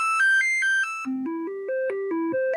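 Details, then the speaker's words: Commodore 64 board running a diagnostic test with a SwinSID replacement chip emulating the SID. Clean stepped synth tones are heard going through the different waveforms and the noise channel, which is normal, so the board is working. "how the diagnostic test should sound as it goes through the different waveforms on the different channels and the noise channel so yeah this this board is definitely working"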